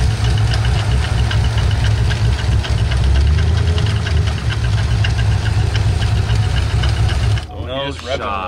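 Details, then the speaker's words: Drift car V8 driven hard: loud uneven top-end clatter around four beats a second over exhaust roar; oil pressure did not rise and oil looked thin as water; suspected broken lifter or piston hitting a valve on one side. "i don't know it's on this side either the lifter is broken or the pistons hitting the valve"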